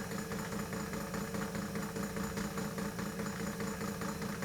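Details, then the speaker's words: 1940s Peirce Model 55B wire recorder during restoration, transport running; steady rapid whirring and rumble with a bump-bump flutter about two per second, a noisy transport; hard rubber wheels with mild flat spots suspected. "boy is that ever noisy know some rubber renew might actually work for that probably because there's a mild flat spot on it"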